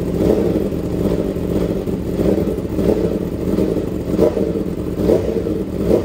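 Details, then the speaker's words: Yamaha R1 with Kawasaki switchgear after engine rebuild, fitted with new battery, throttle blips: crisp repeated revs rising and falling cleanly, no knock or rattle; very strong, healthy engine. "Nó ra rất là mạnh để tay để lực lắm"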